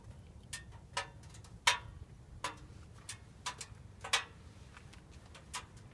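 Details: Subaru right after engine shutdown: engine silent with irregular sharp ticks every half second to second. Owner asks whether it is just the engine cooling off; unconfirmed.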